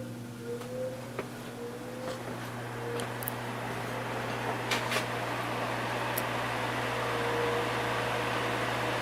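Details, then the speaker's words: Patton 12-inch fan with 1.3 A rated motor on low, three-speed switch: steady low hum and soft even air rush, no scraping or wobble; very strong, drawing 0.74 A and 60 W. "low very strong for a 12in fan 74 amps and 60 WTS on"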